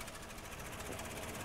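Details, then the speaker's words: 2007 Toyota 4Runner V6 with code P0016, idling: runs very rough, shaking and misfiring, nearly stalling while the scan tool commands bank two cam timing advance, then returns to normal when released. "we go it almost died out again running really really rough shaking misfiring and then we release it and it goes back to normal"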